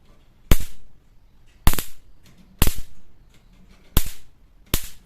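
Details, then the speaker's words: Mosquito racket about 3 years old, fixed by replacing its dead battery with a new 2.4 V Ni-Cd cell: five sharp, loud cracks about a second apart, each a strong arc at the mesh; the racket is sparking properly again. "Work ஆகுதுங்க. So நம்ம battle போனது வந்து battery மட்டும்தான்."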